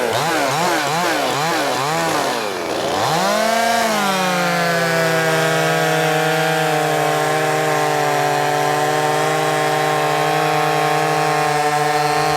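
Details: Brand-new Wemars 6220 chainsaw, fresh and not broken in, shakedown cuts: revs up, dips as the chain bites, then holds a strong steady pitch through the cut; pulls hard, healthy engine running well under load.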